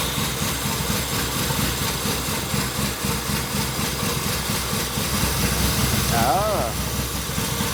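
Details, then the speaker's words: 1970s Pontiac Phoenix after 20+ years off the road, cold, with choke and old bad spark plugs: a rough, lumpy idle with stumbles from a big vacuum leak through a stuck-open PCV valve, plus an intermittent misfire. "oh hey a giant vacuum leak the PCV valve was completely open"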